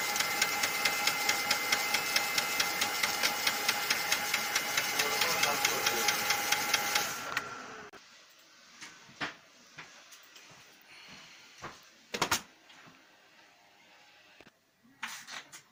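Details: Lexmark X364dn laser printer with a harsh grinding rasp and steady clicks about two a second. Replacing the fuser and main drive assembly did nothing; replacing the duplex assembly solved it.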